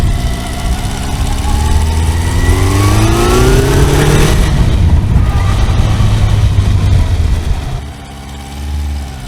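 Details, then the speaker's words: Kawasaki four-cylinder motorcycle after reassembly and bolts re-torqued to 24 Nm: revs rise and fall with a lumpy, uneven beat; one cylinder not firing, owner suspects ignition leads disturbed when coils were removed; cylinder one found cold. "lehet hogy gyújtó kábeleket ahogy megmozgattam na hát nem nem megy mind a négy henger mindig azt kell nézni hogy mihez nyúltam utoljára mert előtte meg ment mind a négy most meg nem megy mind a négy"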